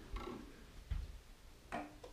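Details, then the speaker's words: Roma Sorrento mobility scooter with throttle fault code (seven flashes, out of neutral): rear electromagnetic brake clicks on with sharp separate clicks; throttle pot suspected not centered, water found inside. "And I can hear clicking from the electric brake. The lights are on at the back. So I can hear the electric brakes clicking on the back, so it's telling me there's a problem, that's not centered properly."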